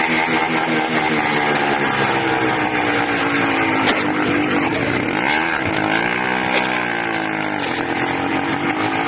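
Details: 80cc two-stroke engine with a loud, raspy buzz that won't hold steady, revs sagging and surging unevenly mid-clip; owner suspects a carburetor problem with a leak at the intake manifold, not confirmed.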